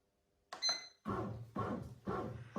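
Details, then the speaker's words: Bread machine running a quick 23-minute dough cycle: a short button beep, then rhythmic churning thumps about twice a second as it kneads normally. "And you'll hear it making a noise similar to that as it mixes it and creates the perfect bread dough for you."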